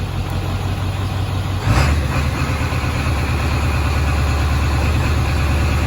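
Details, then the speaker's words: Ford 7.3 diesel just fitted with a Hydra tuner, set to position 2 (cold idle-up, meant to be 1200 RPM): steady, even diesel clatter at raised idle, no misses or knocks; normal high idle. "That seems to work. It's supposed to be 1200 RPM idle up for when it's cold."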